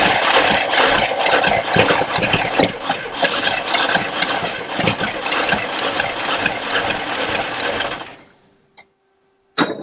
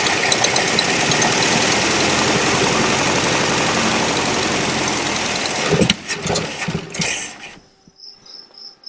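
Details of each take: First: Abandoned 1974 International 150 pickup, IH 345 V8: engine chuffs and catches unevenly for several seconds then dies, running only on fuel poured in; fuel lines look dry, tank fuel not yet pumped up. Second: Abandoned 1974 International 150 pickup with IH 345 V8, fuel line disconnected: even starter cranking at about three compression beats a second for nearly six seconds, no fire; engine turns over freely.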